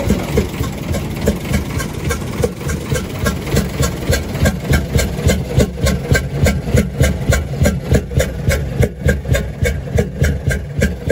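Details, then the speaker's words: UD Nissan PKD 411 truck, NE6 six-cylinder diesel at low idle: rhythmic chuk-chuk puffing in time with the engine, louder on the intake side; intake valve found leaking. "आवाज किस तरह से आ रही है छुक छुक की आवाज आ रही है और इनटेक की तरफ से ज्यादा आवाज आ रही"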